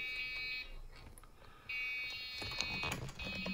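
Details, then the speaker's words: Dell OptiPlex 360 (2008) after a CPU upgrade: long shrill power-on beeps over soft fan hum indicate a processor error, repeated on every power-up; initially suspected bad CPU. "you can hear those beeps. So those beeps mean that something is wrong with the processor, okay?"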